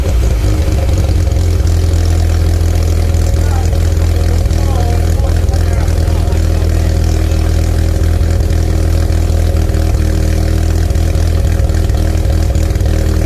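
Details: Mazda RX-7 SA22C with 13B turbo rotary after catalytic converter delete, idling and revving; loud uneven idle with stumbling irregular pulses and rough revving, misfiring, cause unclear.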